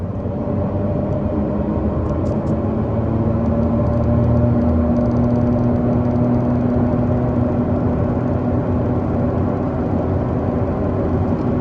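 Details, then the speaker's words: Car driving on a 38 °C day, phone aimed at the rear right wheel: low droning rumble under road noise with a loose throb about three per second, like rumble strips; worn rear right wheel bearing, confirmed with car lifted. "sometimes it sounds exactly like those stripes on the road those audible stripes um that make it clear to you that you're not driving on the road properly"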